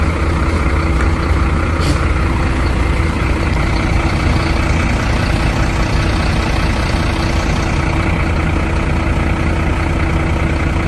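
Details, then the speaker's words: Truck parked four days in hot Goa would not self-start; jump-started from another truck's battery and now idling cleanly: steady, even low diesel rumble, no knocks, misses or surges. Battery condition still unknown. "ಸೆಕೆಂಡಲ್ಲಿ ಗಾಡಿನೂ short ಆಯಿತು. ಇವಾಗ ಮಾಮೂಲಿ ಎಲ್ಲ clean ಆಗೈತೆ."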